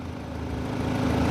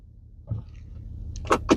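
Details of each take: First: 2013 Audi A4 idling after the bad coil on cylinder 4 was replaced; it had misfired with codes P0300/P0304, a flashing engine light and limp mode. Now a steady, even idle with no stumbles, all four cylinders firing cleanly. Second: 2013 Audi A4 idling with heavy misfire after going into limp mode on highway, flashing engine light, codes P0300 and P0304; low uneven idle with thumps and shaking, cylinder 4 misfire, spark being tested.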